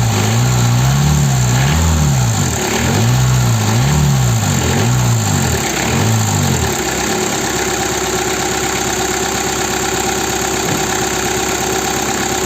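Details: Peugeot/Citroën 1.9 DW8 diesel started cold: it catches after a few uneven turns, then settles into a steady, even diesel clatter at normal idle.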